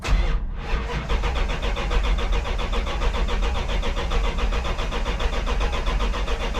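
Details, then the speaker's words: Big-block 1984 Dodge D100 cranked after sitting, with a battery just installed. The starter spins steadily for seconds without catching: fuel starvation, with junk found clogging the fuel filter and line. "all right sounds like we just got fueled to the filter we got we got to pull that mine off and drain this junk out"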